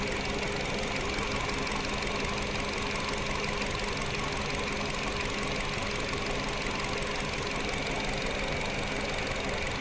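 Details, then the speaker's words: 2025 Nissan Versa HR16 petrol engine idling with an uneven, stumbling beat as one ignition coil is deliberately unplugged, creating a single-cylinder spark misfire for checking oxygen sensor and fuel trim response. "Por ejemplo, voy a desconectar una bobina. Desconecté la bobina."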